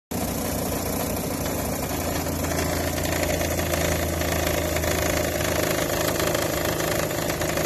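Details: 2008 Nissan Versa SL idling with a loud, rough rattling whir; owner suspected timing chain guides, but the cause was a failing serpentine belt tensioner pulley, fixed by replacing the belt and tensioner.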